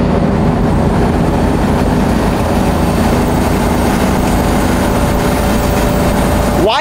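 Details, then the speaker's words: BMW E46 wagon cruising with sunroof open; constant thin whistle over heavy wind and road roar, traced to the newly fitted roof rack and also heard with the sunroof closed; wind whistle. "I'm hearing this weird noise. I'm like, this is weird. I never hear this. Is the wind different or something? It's the roof rack, dude."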